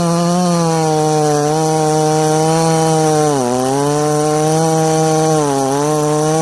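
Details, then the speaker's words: Ported 1983 266 chainsaw, warmed up, cutting wood: screaming through the cut, pitch sagging each time load comes on; sounds a little rich on the bottom end, not confirmed. "wow you guys can hear that this thing's a little rich on the bottom end"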